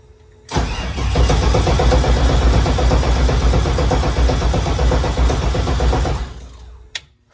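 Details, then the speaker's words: LS3 engine on first start attempt after regrounding the coils to the heads and fixing a starter wire grounding on the starter; it cranks steadily, about four per second for five seconds, without catching, with no power to the coils or fuel rail and no spark. "I didn't have power I don't have ignition or fight my coil my spark plugs are not firing and I have no power at the fuel rail"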